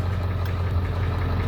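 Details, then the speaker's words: 1997 Ford F350 crew cab 4WD, 7.3 Powerstroke diesel, just bought at auction and first started after cranking: deep diesel idle with a slightly uneven, lumpy beat; rough idle, cause unknown, oil pressure good, battery charging. "Oh, it's got a little bit of a rough idle here."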